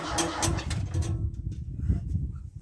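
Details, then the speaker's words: Ford 6610 Force II tractor diesel that cranked but wouldn't fire: catches then runs lumpy and uneven; air heard being drawn in at the fuel filter water-drain O-ring, not replaced in the kit; fuel system air leak. "Okay, so I can actually hear the problem, and it is right here, the O-ring on the water drain. There was no replacement in the kit, and I can hear air being pulled in here."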